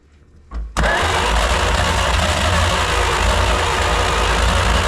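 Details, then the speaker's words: 1938 Dodge D8 sedan engine, unstarted for roughly 30–40 years, on starter fluid with the charger in start mode. Quiet cranking, then an abrupt rough, uneven rumble as a couple more cylinders catch; it nearly starts but doesn't run. "That was close. That was close. Then we picked up a couple more cylinders there."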